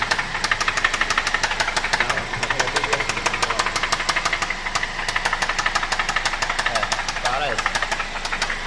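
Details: 2005 Toyota Corolla XLi idling with a sharp, uneven-strength knock about twice a second after holed piston, head machining, sleeve, broken VVT pulley pin replaced and water in oil; connecting rod knock.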